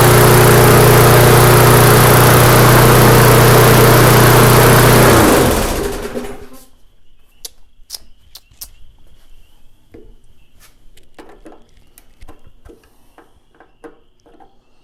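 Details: Neglected, rusty MTD mower on the bench, run at a comfortable RPM to burn off smoke: steady, even high drone for about five seconds, then shut off and coasting down. Smoke lessens each start, so owner doubts a head gasket leak; normal running.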